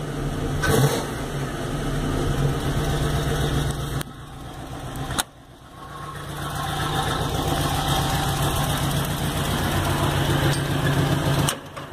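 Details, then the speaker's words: Faint steady chugging from a small exhaust leak at idle on a 1989 Chevota swap (Chevy engine in Toyota), just after start-up; engine responds well to throttle. "anyway you can hear a little chugging from the exhaust leak that's in there but responds really well"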